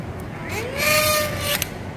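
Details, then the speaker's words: Toyota SW4 (2016 onward) power tailgate strut actuator extending: a whining motor tone rises then holds about a second, noticeably loud when raising, fine when lowering; noisy internal spindle-and-spring drive mechanism. "vai lá de novo e barulhento tá vendo ó ó como é que tá barulhento at que para baixar Tá OK mas para subir escutem"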